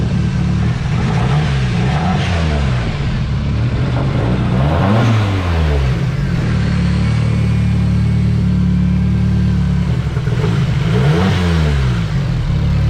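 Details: Nissan 240SX S13 KA24DE turbo, cold start idle warming up on old fouled plugs after fuel lines replaced: rough uneven idle under throttle blips, still missing a cylinder, running very rich; owner suspects fouled plugs or dirty injectors.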